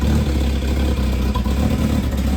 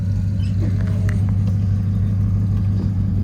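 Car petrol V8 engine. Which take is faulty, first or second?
first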